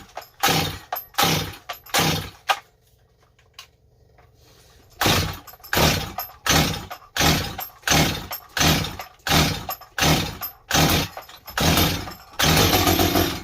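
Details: Stihl 025 chainsaw, just rebuilt with a new Meteor top end after a no-start traced to a bad gas cap O-ring, revs crisply in repeated throttle bursts about once a second and returns to idle each time; normal running, strong and clean.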